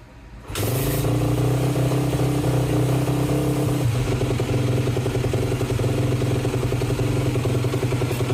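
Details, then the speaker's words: 2011 Yamaha YZ250F (complaint: hard starting when hot) started ice cold after reassembly, fan running; the single-cylinder thump settles into a steady, even idle under the fan's hum, warming up cleanly. "All right, so let's see how it starts. Ice cold. I'm going to put the fan on, so it's going to make some noise."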